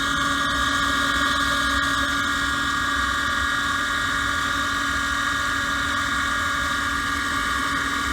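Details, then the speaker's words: Gas furnace mid heat cycle, about seven years old: the inducer motor gives a constant high-pitched screech and whine over its hum; failing inducer motor bearings, to be replaced. "so we're back and they are in the middle of the heat cycle before listening to that motor screen"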